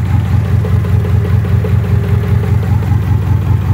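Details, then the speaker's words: Car idling rough with no check engine light, shaking steering wheel and exhaust leak: loud, lumpy idle stumbling nearly twice a second; plug wires arcing, engine running on two cylinders; misfire from bad spark plug wires. "because this engine is only running on two cylinders you know plug wires are bad"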